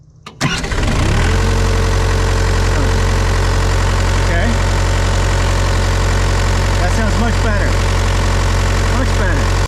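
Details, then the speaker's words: Hitachi EX75UR excavator with a suspected bad starter, started by jumping the starter manually and then releasing: the diesel catches after a short crank and settles to a steady idle with no starter whirr left. Normal start with the starter disengaging. "I'm going to turn the key and touch this at the same time and then I'm going to release this to see if I can hear the starter stop"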